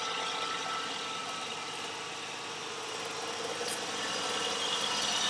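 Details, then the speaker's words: 1989 Ford Ranger 2.9 V6 at rough idle, heard through a vacuum-hose stethoscope: hissy idle with a thin high whistle over a soft pulse from a faulty PCV valve; pinching the PCV hose stops the whistle. "and then listening around on the different suspect Parts leads me to the PCV valve to verify we can pinch the PCV hose and the whistle goes away"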